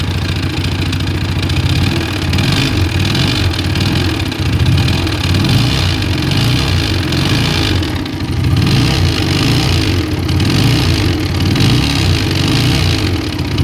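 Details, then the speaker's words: TVS Apache RTR 160 running loud and rough, with a busy clattering layer over the beat at idle and light revs; the cause is unknown, and the magneto-side cover is to be opened after draining the oil. "তো এই আওয়াজটা ঠিক করার জন্য যেহেতু আমার engine side খুলতে হবে, ম্যাগনেট সাইডটা, তো তার জন্য আমি কিন্তু মোবিলটা ড্রেন করে নিয়েছি।"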